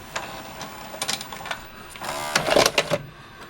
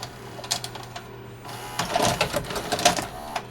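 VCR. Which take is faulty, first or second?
second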